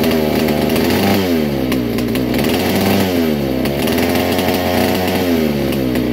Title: vintage kart. All original 1961 Fox Kart, McCullough Mac 91. First start in years